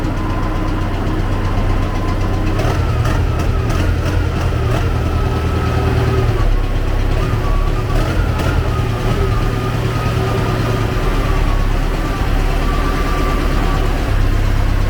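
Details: T-40AM tractor diesel cold-started with the decompressor after about a month standing at around -14 °C, oil pan not preheated; low idle with occasional sharp puffs from the intake as the air cleaner sneezes; source of engine knock being investigated.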